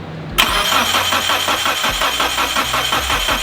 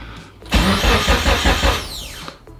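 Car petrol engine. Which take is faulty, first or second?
first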